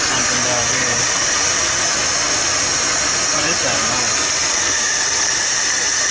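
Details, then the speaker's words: 1978 Dodge D100 revived after sitting almost 20 years, idling while the distributor is adjusted: steady high hiss over a muffled idle, air escaping, suspected vacuum leak at a carburetor hose or the distributor. "i can hear air coming out of something"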